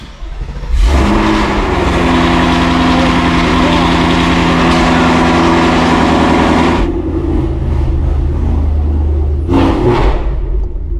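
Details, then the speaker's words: 2024 Mustang GT V8 just fitted with a Whipple supercharger, new injectors and fuel rails, first start, somewhat warm: crisp start into a strong, even run with smooth revving and a clean throttle blip; healthy. "Let's start it up, get it moved out, and see how it looks. All right, cold start. Well, kind of a hot start, but"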